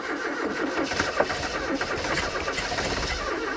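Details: 1980s Ford XR hot hatch left in a Kent garden for 25 years, first start attempt with fresh fuel plus additive and no throttle: it cranks and catches unevenly, firing ragged and stumbling before it settles.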